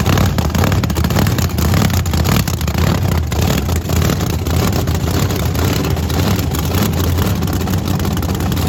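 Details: Blower V8 Camaro doing a burnout on brand-new tires, which end up half worn: loud supercharged roar with rapid, uneven heavy thumps as the rear hops violently. Suspension needs locking down. Rear wheel hop.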